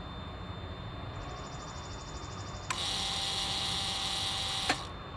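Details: 1999 Lexus GS 300 after brake booster/master cylinder assembly replacement, during pump cycling for bleeding: steady high electric whine for about two seconds that stops cleanly. Booster pump charging normally; the earlier continuous cabin buzz is gone.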